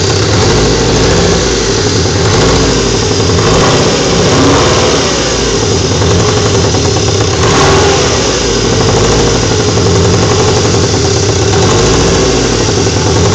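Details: VTS engine with a slightly uneven, lumpy idle and light revs, with irregular stumbles in the exhaust beat. Plugs and coilpack have been replaced and cam timing checked; compression is 225/232/240/230 psi. MAP and crank sensors are untested. Possible misfire, cause unclear.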